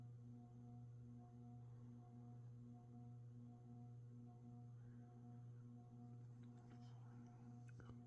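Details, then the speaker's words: Hampton Bay Grayton II 42" ceiling fan on low speed: steady low electrical hum with a faint slow pulse; noisy motor, owner suspects poor build quality. "so as you can hear pretty noisy for some reason I think all these great twos have a tendency to make an electrical hum to them like this likely poor build quality"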